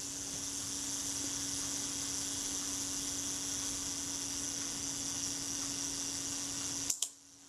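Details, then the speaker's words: Kodak Retina IIIC after shutter servicing, self-timer tested at 1/8 setting: steady even whirr about seven seconds ending in crisp shutter click; self-timer works nicely and runs smoothly. "yep that works nicely and that sounded good too it sounded smooth as these things go they're not a swiss watch right"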